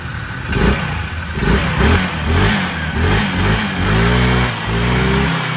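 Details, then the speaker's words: Rusi Rapid 150 scooter (engine 155 type) after repair of noisy, rough-sounding engine: head serviced/parts replaced; now revved with quick throttle blips rising and falling cleanly, no knocking or rattle — normal engine revving. "Yan i-start na ng revel wala na siyang kaingay-ingay"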